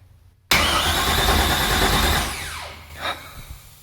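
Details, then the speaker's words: LS V8 swapped into Porsche 944, first crank with fresh break-in oil not yet primed; starter spins engine hard about two seconds without firing, then a short hiss, owner suspects breather blow-by. "So we can't turn the engine over more than a little bit, but I would like to know if this engine's even gonna turn over."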